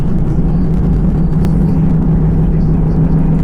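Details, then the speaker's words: 2005 Honda Pilot driven over bumps after rear subframe mount repair (replating and welding) for a rear passenger-side noise: even road rumble, only soft ordinary bump thuds, no metallic clunk; fixed, normal ride. "nope just normal bumps yay we fixed"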